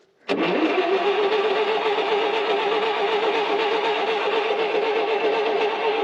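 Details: Ditch Witch R40 V4 trencher stored 15 years, spark and compression confirmed, fresh gasoline: sudden catch, then a steady, slightly wavering fast idle with a rough pulse; engine starts after long storage.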